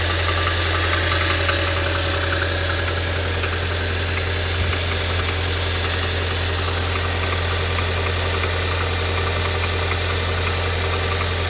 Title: Audi a4 b7 2.0 tfsi motorgeräusch